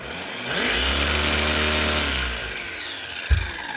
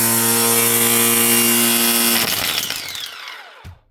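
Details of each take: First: Makita DUR181 18V cordless strimmer that does nothing on trigger pull and needs a hand spin to start: thin motor whir at low, sagging speed that winds down, with no power to cut; motor fault, burnt commutator. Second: But the main thing is the motor starts up every time you pull the trigger. She's got loads more power.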